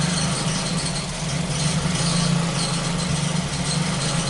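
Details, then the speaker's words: Ford Focus petrol engine idling after a faulty intake-connected sensor was replaced: a low hum that dips and stumbles now and then, an intermittent misfire less frequent than before but still there, with a second problem suspected. "so it sounds like we have two problems here this sucks there's a misfire here"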